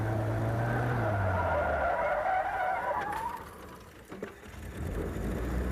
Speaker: You'll hear I'll rev the engine, I'm going to just nail the gas pedal to the floor, and by doing so, it will spin the rear tires.